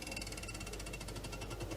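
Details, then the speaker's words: Samsung American-style fridge, heard with door open: fast, steady rattling clatter like card in bicycle spokes, as ice built up in the housing strikes the evaporator fan blades. "bruit provient en fait du givre qui s'est formé dans le la partie Carter sur le petit moteur où il y a une hélice qui tourne"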